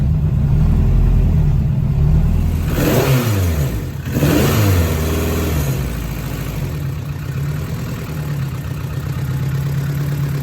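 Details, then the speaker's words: Honda CRX, reassembled cold start after a money shift (third instead of fifth) at a street event: uneven loping idle that stumbles through a quick rev. Misfire; owner suspects a blown head gasket after seeing bubbling in the cooling system. "I'm not sure if you guys could hear it, but I could. It don't even sound right."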